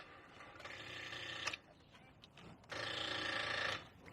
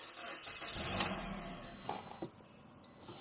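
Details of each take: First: Car with battery reading 11.35 V: two bursts of rapid buzzy chattering, each about a second long, instead of cranking; battery too low to turn the starter; dead battery. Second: Car with a dead battery after a couple of days of trickle charging from a 10-watt solar module: slow, labored crank catches after a couple of seconds and settles into a run; just enough charge to start.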